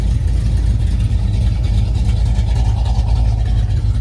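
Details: Box Chevy V8 just after a cam install, with longer pushrods fitted to cure a noise once blamed on the flywheel: deep, steady rumble with no ticking or clatter, valvetrain quiet and healthy; normal running.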